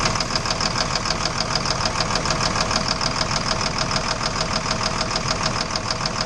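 Steady rapid knocking, about three per second, rides over an idling engine throughout; a clear internal knock, source not pinned down.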